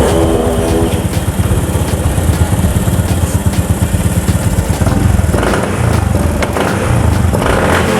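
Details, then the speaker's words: Honda Beat FI scooter engine revved with uneven, sputtering pulses, hesitating and lagging behind the throttle; test with dirty air filter removed, but delayed response unchanged, so filter not the cause. "Ya, responsnya masih tertunda. Pedal gas tidak responsif; Itu tidak sesuai dengan gerakan tangan kita."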